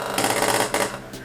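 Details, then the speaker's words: Magnetic contactor (CT Electric) with coil supply lowered to about 170 V: harsh irregular buzzing rattle over mains hum, surging and fading; contactor chatters and vibrates because of voltage drop. "สาเหตุนั้นนะครับเกิดจากแรงดันตกนั่นเองนะครับ"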